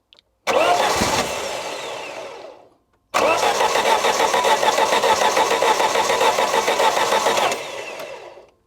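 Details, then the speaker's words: Classic Saab barn find, stored 32 years, on a repeat start attempt: two bursts of cranking with weak, ragged catching that dies each time; the crew suspects it may need a bit more fuel. Cranks and fires briefly but won't keep running. "Might need a bit more fuel."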